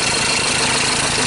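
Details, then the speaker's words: 2013 Ford Ranger T6 diesel that lost power and stalled hours after a routine service: harsh, clattery idle shaking unevenly like one cylinder misfiring; sounds like a misfire, cause still undiagnosed before scope testing. "so that sounds like a misfire so what I'm gonna do first is I'm going to put my full sensor and my exhaust real quick"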